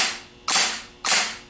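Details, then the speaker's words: Denso starter after rebuild, bench-tested: two crisp snaps about half a second apart as the pinion throws out and returns cleanly, no hanging up or sticking; normal, healthy starter drive engagement. "No hanging up, no sticking."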